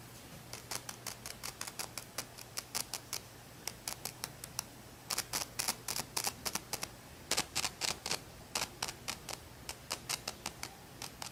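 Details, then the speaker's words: Sansui AU-217 amplifier: touching the bass control knob, even with a finger, gives irregular scratchy static crackles and pops in bursts over low mains hum, as if not earthed; caused by a loose bass pot mounting nut, noise vanishes when board held tight. "As soon as I was touching this knob here, even with my finger, it was making it like it sounded like it wasn't earthed kind of thing. So it's making that static kind of nois"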